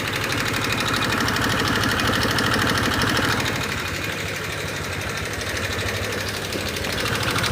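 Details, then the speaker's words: 2018 Honda Vario 125 FI scooter idling, rough with quick even light ticking about three per second from the engine front/head, before any teardown; loose valve clearance. "pada suara motor Vario 125 FI ini terdengar suaranya menggelitik ya teman-teman gelitik-gelitik seperti itu"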